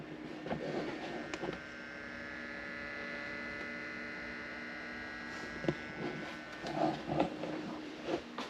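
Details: Sovol filament dryer after replacing its loud, grinding failed fan with a new 4010 hydraulic-bearing fan: only a faint steady hum with a few handling clicks, no rattle or grinding; fan runs smoothly and quietly.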